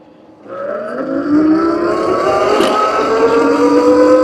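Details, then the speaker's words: Heybike Villain electric pit bike, 4.1 kW mid-drive motor with chain: clean whine climbing smoothly with throttle, light chain rasp, no knocks; louder than hub motors, normal healthy drive sounding like an RC car. "See what I mean? It's noticeably louder, and it's not like it's a bad loud at all. It's pretty sweet, actually. It almost reminds me like of an RC car sound."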